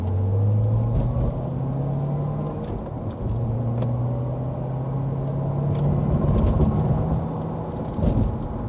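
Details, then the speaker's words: Chevrolet Corvette ZR1 on stock suspension bushings, cabin recording at street speed: steady low tyre and engine rumble with light thumps over road markers, no clicking; normal road noise before bushing upgrade. "So that's what it sounds like going over the little markers. Stock bushings, I'm guessing, are pretty squishy and pretty soft. You don't feel any violent jolts when you hit any bumps or anything."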